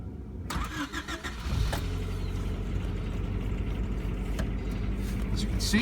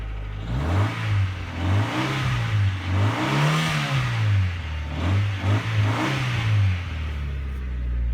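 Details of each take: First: 1993 Honda Civic CX hatchback, stock, 122,000 miles with 2,500 on a rebuilt 1493 cc engine, 5-speed manual: brief crank, then a cold start that catches firmly and settles into a smooth, even idle, with no warning lights; normal healthy cold start. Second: 1993 Honda Civic CX hatchback, 1493 cc rebuilt engine, 5-speed manual, new muffler but resonator deleted long ago: revs rise and fall with a thin, raspy, buzzy "pea shooter" exhaust note and little muffling; loud exhaust from missing resonator.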